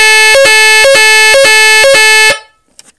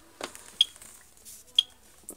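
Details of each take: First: AVISS EVAC type 2b fire alarm panel, general evacuation triggered: loud steady two-tone siren stepping about twice a second, then cut off; normal evacuation siren, sounds 5 minutes, rated over 90 dB, speaker partly disconnected. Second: AVISS EVAC type 2b fire alarm panel with mains supply unplugged: short high-pitched beeps about once a second, indicator flashing, over faint handling noise; power supply fault warning.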